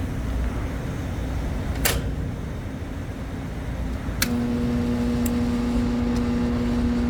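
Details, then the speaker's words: HVAC evaporator motor at power-on buzzes with a steady low electrical hum and does not spin up; about 104 V measured, contactor suspected, not getting proper voltage; a case of single phasing. "interesting the motor is buzzing and it's not getting proper voltage I don't think"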